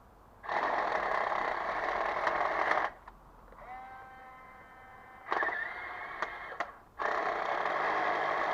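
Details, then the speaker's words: RC HL Toys SW HL 3058 1:10 bulldozer power scraper run on grass with a fixed straight-through rear axle (no differential): high whirring motor in short bursts with clicks as the gear struggles, owner suspects replacement rear gear slightly too small, slipping under load; hard plastic tyres lack grip. "that gear is really struggling now in that [Music] and those gears have got those tires got no grip they're hard plastic"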